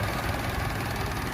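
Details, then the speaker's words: Suzuki Amenity (same engine as Esteem 1.3) idling just after an oil change done without changing the oil filter: soft, even low hum, no ticking or stumbles; very smooth, nearly inaudible, healthy idle. "Nah ini dia, ini bekas olinya, halus banget. Suaranya nyaris tak terdengar"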